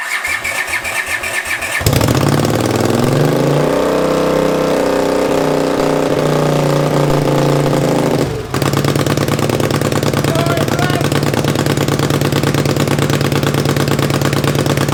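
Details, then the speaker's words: 500cc racing mower build, first start on choke without radiator or coolant, settles into a fast steady run, then revs climb on their own; owner suspects running out of fuel, stopped with the kill switch. "oh my gosh kill switch works i think it started revving up because i'm starting to run out of fuel i'm assuming it runs that sounds sick"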